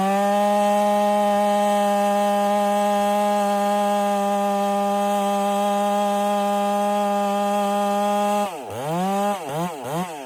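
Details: Ported Husqvarna 385 chainsaw during break-in, tune left slightly rich with a little top-end burble, cutting very hard oak: strong steady high-pitched scream through the cut, revs dipping and rising at the finish; normal cutting under load.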